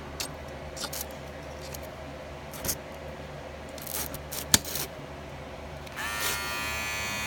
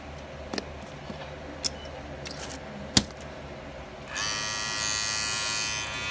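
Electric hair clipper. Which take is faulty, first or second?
second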